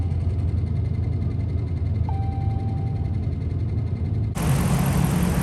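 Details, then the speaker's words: 2013 Dodge Ram 5.7 Hemi V8 after lifter and camshaft replacement, oil primed by cranking: slow uneven cranking on weak battery, then catches and settles into clean even run without knocking; sounds really good. "the truck's been running for about 10 minutes now sounds really good sounds really good"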